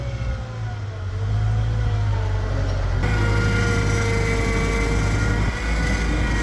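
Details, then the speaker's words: Mustang skid loader at full throttle pulling out, the side drive that had water in it: engine drone swells then holds heavy and labouring, serious drag in that drive, fighting up the hill; cylinders also suspected leaky. "There's definitely something wrong with this drive on the side. Every time I try and give it enough throttle, it's got some serious drag."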